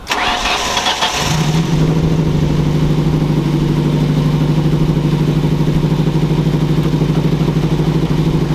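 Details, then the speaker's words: Custom Ford Focus first start after two years sitting; cranks, catches and idles steadily with light rapid ticking on top, which the owner attributes to a dry top end lacking oil. "yeah it's running yeah it's Halloween sounds like it doesn't have oil up top oh cause it's all dry yeah"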